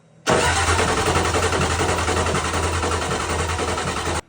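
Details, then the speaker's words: Rebuilt 7.3 IDI turbo diesel cranking steadily, never catching, while bleeding air from fuel lines; fuel system not primed, return line was unhooked dumping fuel, inlet to injection pump later bled. "So, all right, I'm just trying to get some air out of those fuel lines"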